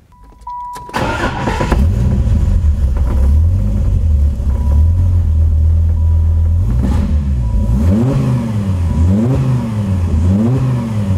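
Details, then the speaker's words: Viper V10 with rebuilt heads and roller rockers cranks, catches quickly, then idles strongly with smooth, even throttle blips; sounds healthy, though leaking plug wires can cause a slight misfire. "so it sounds very good sounds just like a viper v10s have their own weird sound it doesn't sound like a 12 or an 8 it's kind of a strange sound but it sounds really good"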